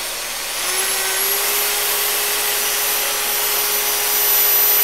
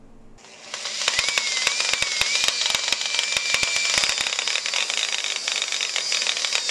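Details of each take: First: Used Makita 9227C polisher after repair (new grounded plug, wool fibres cleared from air intake): spins up to a smooth, steady hum with a faint high whine and no grinding; owner unsure if remaining slight noise is normal, much better than before. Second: Used Makita 9227C polisher/buffer running: loud harsh gravelly rattle like rocks tumbling over a high motor whine; grinding traced to chewed bevel gear teeth in the gearhead.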